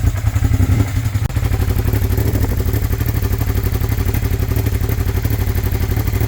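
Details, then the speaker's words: Abandoned Suzuki SV650S V-twin on first runs, one carb's needle stuck flooding the cylinder with fuel leaking out at the header clamp: a rough idle with a sharp puffing tick about four beats per second; a big exhaust leak. "Yeah, it's got heat now. Big exhaust leak."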